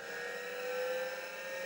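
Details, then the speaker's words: IBM PC (4.77 MHz) at power-on, hard drive powered: a steady, fairly high whine over a soft hum as the platters come up to speed. A normal, healthy drive spin-up. "And hard drive is connected to power, by the way. So we'll hear that go unless we get sparks. Okay, the hard drive is spinning up. That's cool."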